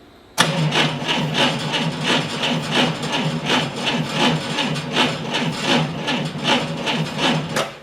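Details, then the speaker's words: 1990 Ford Thunderbird Super Coupe: slow, uneven starter cranking at about two beats a second, measured with an amp probe at the battery at about 225 A average. The current isn't excessive, so neither starter nor engine is blamed yet. "the engine's cranking and here it's cranking slow I'm not going to blame the starter or the engine at this point"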